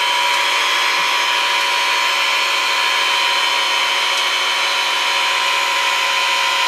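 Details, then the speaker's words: VEVOR 5-ton electric car jack lifting a 4x4 with 15.5 inches of clearance: steady, high motor whine under load with no grinding or knocking, noise changing as it stops at maximum height; normal operation. "you can hear a difference in the noise and it did stop at that height right there"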